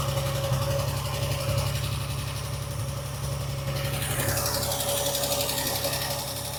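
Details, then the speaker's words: Classic car's engine after a carburettor rebuild, now running better: a light ticking knock at about four per second over a steady idle, coming and going. Top-end knock; the owner suspects a tappet or possibly a big-end bearing. "It's running a lot better. Carburettor work has definitely worked, but it sounds like there's some top end knock."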